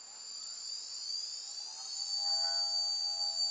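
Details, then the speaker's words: Small motor on a programmable ESC, running with no load at full throttle: high, clean whine climbing smoothly and holding steady; healthy, with plenty of torque. "and with no load on it we can go Full Throttle it's got quite a bit of torque there"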